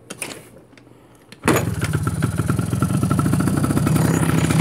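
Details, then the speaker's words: Cobra Chinese quad after carburetor and fuel-system cleaning, with the ignition electrics bypassed: a one-kick start that fires at once into an even single-cylinder putter, running halfway decent; a slight grinding came from the misadjusted kickstart. "but as you can hear and see it's a one kick wonder it seems to run halfway decent"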